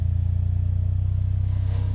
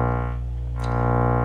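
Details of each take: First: Miller & Kreisel V-2B subwoofer after replacing defective main filter capacitors in the power supply that caused distorted audio and low hum: deep steady 30 Hz tone, smooth with no buzz or crackle; clean output. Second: Miller & Kreisel V-2B subwoofer amplifier, 35 V positive supply sagging to 27 V under load: steady test tone with buzzy distortion and constant low mains hum; defective main filter capacitors, replaced to fix.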